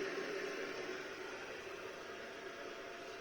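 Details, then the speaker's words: Volvo 240GLE turbo with LS2 swap, engine off: steady, fairly loud high-pitched electric whine of the fuel pump pressurizing the system to about 63, with a small fitting drip; noisy but working normally. "don't see anything leaking though which is good certainly noisy but i don't imagine i'll hear that over the engine"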